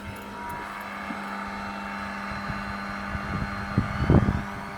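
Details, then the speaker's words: Scrapped Vax/Electrolux vacuum cleaner rescued from the tip, with a cracked plug, running on high: a steady, even motor drone at one pitch with a few handling knocks. The motor sounds fine, but the brush roll isn't turning. "There we go, it's running on high. It seems to be alright. The motor sounds fine."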